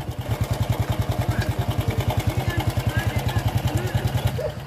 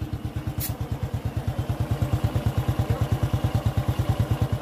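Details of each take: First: Honda Revo fuel-injection motorcycle under a year old, idling: fast even pulses with a light clattering edge; noisy cam timing chain, to be fixed by fitting a longer disc brake master spring to the tensioner. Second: Honda Revo fuel-injected motorcycle, under a year old, idling smooth and even after tightening the noisy timing chain without replacing it; chain rattle gone, normal idle.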